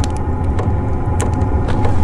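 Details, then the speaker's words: Cheap Chinese diesel heater about five minutes after a cold start: a low steady burner rumble with a sharp fuel pump tick about every half second; normal warm-up. "all right she's getting going now it's been about five minutes if you listen you can hear the fuel pump ticking there"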